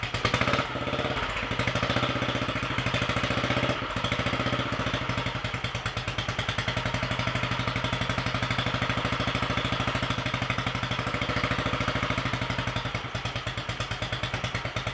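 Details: Royal Enfield 500 single-cylinder, first start after top-end rebuild: high-compression piston, shortened alloy barrel, ported head, 32 mm carburettor, enlarged inlet manifold, competition cams; steady fast-idle thump, light top-end clatter, no misses.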